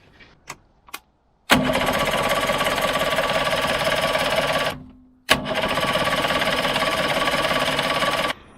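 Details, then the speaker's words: Suzuki 85hp outboard on a Bonito 4.9 boat, not run for 6 years; two long rough cranking bursts with no catch, no fuel smell; fuel starvation. "So I think that's all it is just a fuel thing. As soon as I put that fuel in the cylinders, she started right up."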